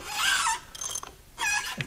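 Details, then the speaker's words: Nissan Silvia SR20DET engine turned over slowly with valve cover off, little cam chain tension: sharp, high squeals in bursts; timing appears correct. "so let's turn this over it almost sounds worse i don't know how it's possible yeah that sounds pretty bad"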